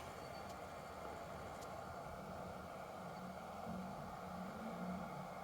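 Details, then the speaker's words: Kingroon KLP1 3D printer after its power supply fan was serviced and the supply remounted. The fan previously growled and vibrated. Now it runs with a soft, steady, airy hum and is almost inaudible. "зараз все тихесенько Таке враження що там навіть і немає ніякого вентилятора"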